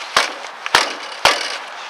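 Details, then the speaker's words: Car tire kicked during a used-car check: three sharp, solid knocks with a faint light rattle from a loose hub cap; nothing serious, sounding like the other tires. "All right. Sounds pretty good. A nice stud sound, but I do hear a little noise right here. That is my hub cap. So, there's nothing serious."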